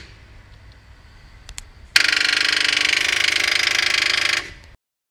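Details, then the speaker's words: 2013 automatic car with its original, never-replaced, worn-out battery: turning the key gives a fast, harsh, drill-like rattle instead of cranking, the starter solenoid chattering from the weak battery. "Arkadaşlar araç 2013 model aküsü orijinal ve hiç değişmemiş ve ömrünü tamamlamış görünüyordu"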